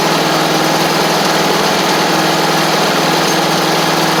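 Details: Free John Deere D140 riding mower (parked for blowing fuses), after valve adjustment and with the blades freed: a steady, even petrol idle with the deck engaged, a smooth hum over the blade whir, no knocks or misses. Normal idle.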